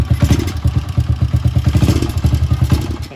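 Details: Small single-cylinder motorcycle (TMX125/155, Rusi 125–175 type). The uneven, lumpy beat stumbles and sputters as the throttle opens and nearly dies, with the carburettor named as one cause: stalling and sputtering on throttle.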